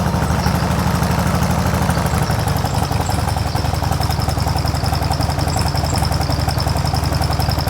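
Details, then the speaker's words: Mostly original carbureted two-cylinder Harley Sportster cold-started on choke; uneven loping potato-potato idle, as if about to stall but not, unlike regular injected twins; exhaust apparently altered; normal lumpy cold idle. "Ini tadi suaranya nggak beraturan, kayak mau mati nggak jadi mati gitu kan. Dentumannya bener-bener nggak beraturan."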